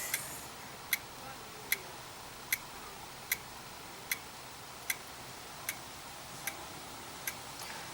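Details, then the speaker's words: Dell E6230 laptop just powered on, internal hard drive clicking; sharp evenly spaced clicks about 76 a minute over a quiet background, drive repeatedly retrying, hard drive bad and not working. "all right it's doing something oh hard dve is bad"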